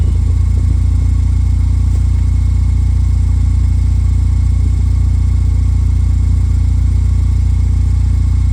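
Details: 2007 Pontiac Solstice GXP after swapping in a used rear differential, car raised and tested in reverse and drive: smooth, even low drivetrain rumble in gear with no whine, clunk or grinding over the steady engine; normal.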